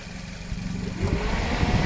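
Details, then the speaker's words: Suzuki Ciaz after AC compressor clutch set replacement, compressor oil change and drier replacement, idling warm with AC on, 34°C outside: steady even hum, no clutch rattle; normal idle with AC on. "ทำงานปกติทุกอย่างนะครับแอร์ปรับครับปกติครับ"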